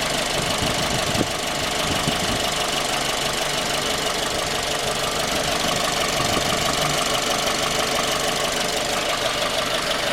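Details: 2010 J20A engine, cold: steady rapid knock about three per second over idle, appearing from 10,000 km and worsening after oil changes; found scored crankshaft journal on cylinder 3, short block replaced.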